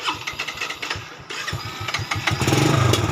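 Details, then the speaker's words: Yamaha Vega ZR motorcycle after starter motor replacement: smooth, quick starter pulses about three per second, then the engine fires and runs evenly; healthy electric start with no grinding. "Lihat , suara motor starternya sangat halus. Kita matikan lagi. Sekali lagi . Kita tekan itu. Ah, suara motor starternya sangat halus."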